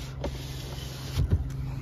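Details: 2011 Hyundai i30 1.6 automatic, claimed 76,000 km, long stored before dismantling: a steady low power-window motor hum runs evenly through the travel with a couple of soft clunks and no strain or grinding; the window works normally.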